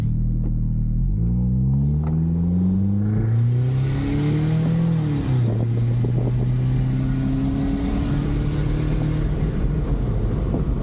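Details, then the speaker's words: 2000 Nissan Frontier, budget T3 turbo build with 550cc injectors, rebuilt pistons and an automatic transmission, on a pull before warm-up: the engine climbs through the revs and gear changes with a dull, boggy note; it runs extremely rich, AFR about 9–10, losing power and possibly needing tuning. "it's running it's running extremely rich that was like N9 or 10 so it maybe needs a little bit of tuning"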